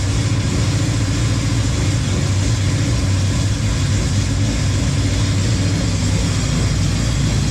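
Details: Honda Civic, rebuilt engine, after connecting everything to get rid of an exhaust leak: steady low, even rumble with no puffing or ticking from the pipes; normal idle.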